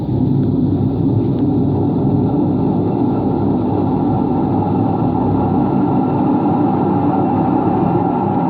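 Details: Empty washing machine on rinse and spin with no clothes: a deep continuous bearing rumble and roar runs throughout. No leak was seen, and the owner suspects both the motor bearing and the drum bearing.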